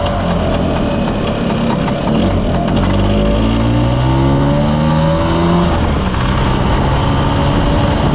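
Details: Mostly original Spanish Lambretta Jet 200 (Serveta) two-stroke on test ride after carb slide cutaway changed from 1.2 to 2.2; pulls cleanly through the revs, pitch climbing smoothly with no stutter, then settles; mid-range flat spot cleared.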